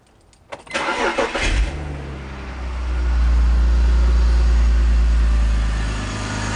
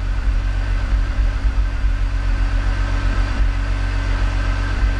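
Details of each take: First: E46 BMW 3-Series after replacing all spark plugs to cure a sporadic startup misfire: it cranks briefly, catches cleanly and settles into a smooth steady idle with no misfire. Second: E46 BMW 3-Series, coil-on-plug ignition, cold idle just after startup: deep, uneven rumble that stumbles now and then before smoothing out; sporadic startup misfire that set a code, being diagnosed by swapping coils.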